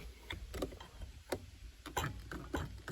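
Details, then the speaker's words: Parking brake lever after adjusting new cables: half a dozen light crisp ratchet ticks, pulling from the first click and tight the whole way at the top; properly adjusted. "And one click on it, you can see it starting to pull at one click. And then by the time it gets to the top where it's pulling tight the whole way, it's good to"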